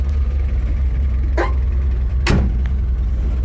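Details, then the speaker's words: 1957 Chevrolet off the road almost 50 years, started for its first drive in 47 years: cranks right up and settles into a steady, even low rumble with no knocks or misses; healthy. "so far i am very pleased with it cranks right up and runs and idles excellent so could not be more happier with this car"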